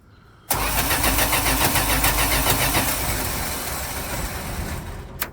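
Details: 1983 Dodge D150 V8 that won't start: steady starter cranking at about three and a half beats a second that never catches; no spark seen, bad plug wires suspected; smoky, leaking intake gasket noted.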